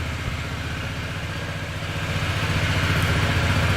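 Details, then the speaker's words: Stock Honda Ruckus scooter built from spare parts, first start: fires on first turn, even quick putter settling and firming slightly, no misses or rattles; idles smoothly. "Let's fire it up real quick. Starts over on the first turn."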